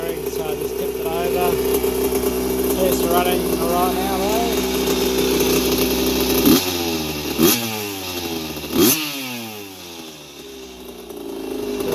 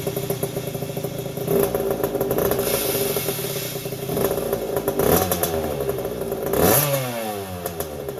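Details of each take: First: 1981 Yamaha YZ80H two-stroke, first run after engine overhaul with new seals and top end, after the dry gearbox cog squeal was cured by tipping the bike: crisp idle picks up cleanly on quick throttle blips and drops back smoothly, no squeal. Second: 1981 Yamaha YZ80H two-stroke, first start after engine overhaul with new seals and top end: high squeal over popping exhaust, changing with revs, quiet with clutch pulled; dry gearbox cog not getting oil, stopped after tipping bike.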